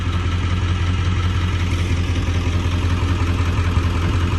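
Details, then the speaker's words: Ford 7.3 Powerstroke diesel after IPR valve replacement and a new filter, warming up, blue smoke when cold: low, steady idle about three pulses a second, no misses or rattles, much quieter than before; normal idle. "So I'm gonna let this truck, I'm gonna let it warm up. And man, guys, it seems to be running so much quieter."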